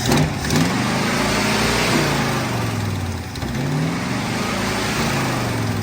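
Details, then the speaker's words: 1970 Ford pickup V8, carburetor suspected partly plugged, rag-over-carburetor trick tried: revs up and falls back unevenly, hesitating and stumbling between blips; engine hesitation. "So what we have here is a carburetor giving us some trouble. I think she's a little plugged."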